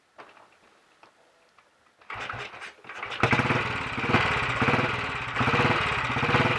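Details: Royal Enfield Bullet 500 with ignition timing set by strobe, on a battery charger because of a weak battery, and with slow fuel flow to the carb: quiet cranking, then it settles into a steady thumping idle of about 85 beats a minute, running properly.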